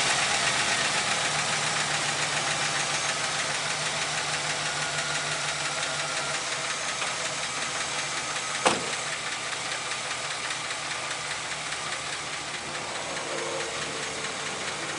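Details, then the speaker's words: 2008 Chevy Express 6.0L V8 at 312,000 miles idling after the motor flush and a change to new 5W-30 oil and filter: light, quick tick about three per second persists unchanged; owner suspects lifters, possibly a broken one. "I don't know if you can hear it over there but I don't hear any difference in this engine at all"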